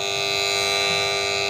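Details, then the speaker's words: Chinese bush-type motor from a Dawlance washing machine, run unloaded on a series board with the capacitor OK: steady high whine with a rough buzzy rattle underneath. The noise suggests loose bushes or fittings, and the winding is said to be fine. "ये losing, जब हमारी motor loose होगी तो इस तरह की आवाज़ निकालेगी। इसका मकसद है हमारी मोटर बुश, बैरिंग साइज़, कोई ना कोई चीज़ लूज़ है, फिटिंग लूज़ हो तब भी हमारी मोटर इस तरीके से करती है।"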